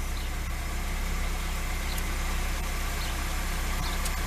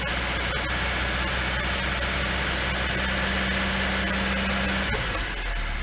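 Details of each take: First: LADA 2102 first start after standing over a year, after cleaning plugs, checking distributor cap and using easy start: steady, even idle, smooth low pulse about 3.5 beats per second, no knocks; runs fine. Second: Lada 2102 started after a year standing: steady idle about five seconds, then stumbles and revs sag instead of picking up, a flat spot.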